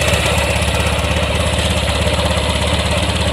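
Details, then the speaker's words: Honda Vario 150 scooter that had died three days earlier and often stalls, body panels off, cranked on the starter: rough, uneven idle pulsing two or three beats a second as the spark plug cap leaks spark, shorting to the body; cap to be replaced. "tapi yang ingin saya perlihatkan ini kawan tuh ini cop busi dia ini eh short ya ke body ya nih lihat saya starter nah"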